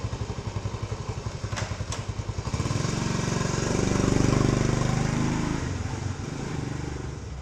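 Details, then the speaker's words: Cold start of a 1970 Honda CT90 Trail 90 with about 3,700 miles: a quick catch, then a steady, even putter at about four beats a second with a brief blip of revs; starts easily and idles fine. "And what I want to do is just show you how easy this starts up. I'll take it for just a little spin just so you can see how it runs."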